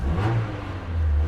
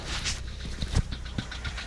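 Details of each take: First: 2010 Hyundai i30 at auction, 45,000 miles: smooth deep rev rising and settling cleanly, no knocks, rattles or whine over the exhaust note; engine sounds healthy. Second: Car at auction just after start-up: quick light ticking about four taps a second over the idle, very tappy; abnormal top-end engine tapping at idle.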